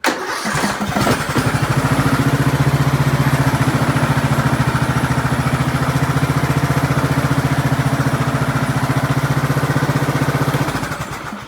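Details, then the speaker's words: 2003 Craftsman LT2000 hydrostatic mower, 18.5 hp Briggs & Stratton Intech, after the seized rear-end release lever was freed: it fires and holds a steady, even putter with no belt slip squeal; the belt seems healthy. "The belt seems pretty healthy because it's not slipping or anything."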